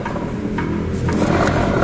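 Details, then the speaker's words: Used 2017 Honda Vario 125 scooter, CVT checked about a month after a service: turning the rear wheel gives a low, rough "grok" grinding rumble with a dull knock about twice a second from a worn bearing that needs replacing. "Nah ini teman ada kerasa, kalau mungkin teman denger ya, itu kalau diputar gini itu ada suara grok gitu."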